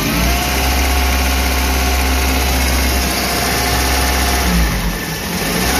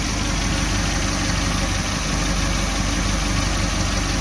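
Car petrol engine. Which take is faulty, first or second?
second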